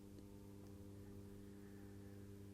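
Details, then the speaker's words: Atlas C420 model locomotive with massive flywheels, warmed up but not yet run in: a steady electrical buzz and low hum while crawling jerkily. Flywheel load is the suspected cause. Motor buzzing and cogging at low speed. "It's got power. I can hear it buzzing and it's starting to jerk. Okay. So, it's pretty slow, but it's not yet smooth."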